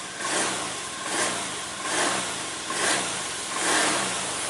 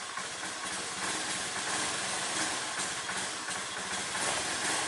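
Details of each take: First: Honda Beat scooter after its dropped battery (about 3-5 V) was charged about two hours to 12 V: starts cleanly, then runs with even buzz swelling about once a second with throttle blips, no stumbling or misfire; normal start and running. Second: Honda Beat scooter whose battery had dropped to about 3 V, started after charging: now starts immediately but idles unevenly, popping and sputtering. Rough running; owner suspects a weakening fuel pump or low fuel pressure, unconfirmed.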